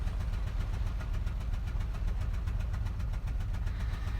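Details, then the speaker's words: Citroën Xsara Picasso petrol with low power and the engine management light on, idling in neutral. A rough, shaking idle with an irregular chuffing puff about twice a second, like a bad manifold leak. "Oh, she does sound bad. She sounds like she has a terrible manifold leak, and we can see we do have the engine management light on."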